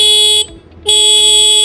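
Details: Honda Activa scooter horn after setting its star adjusting screw: two crisp blasts, a short one then a longer one, each with a strong, steady, clean high tone; horn works normally.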